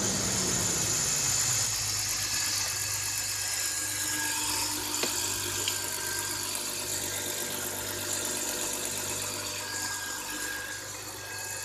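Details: BMW E39 with M54 petrol engine, cold start at +3°C outside: steady idle with a light, fairly regular rattle of about three ticks a second; owner unsure whether knocking or rattling, cause unknown.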